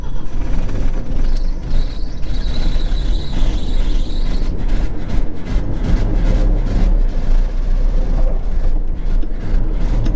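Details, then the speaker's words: 1980 Ford F100 with three-on-the-tree manual, loud rough-running V8 with a light, fast ticking over the rumble after long storage and not having moved in a long time; valvetrain noise, cause not pinned down. "Just keep pumping the gas, it'll be fine. Valve train, what's that? Who knows?"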